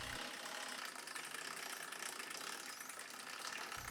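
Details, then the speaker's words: Single-speed bike drivetrain with a ZTTO ZLG-01 chain tensioner after swapping the aluminum pulley for a plastic derailleur pulley: quiet, continuous high-pitched whirring and hiss; noise improvement minimal to none. "Does changing the aluminum pulley to something plastic managed to reduce the noise? Let's bring out a derailleur that I don't need Take that pulley out and replace it Can you hear the differences? Not much The improvement is minimal to none"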